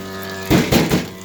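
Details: Electrolux washer's motor hums and then gives three heavy ratcheting clunks; it kept running after pause, cancel, and even with the outlet and house main power switched off. Cause unclear.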